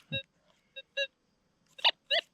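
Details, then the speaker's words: Metal detector gold nugget hunting in Arizona desert placer ground in July: sharp high warbling beeps in short bursts over a quiet background, two distinct responses from separate targets under the coil. "something right there huh this rock something too small to hear after i moved it yeah off we go well this time we got two targets one here"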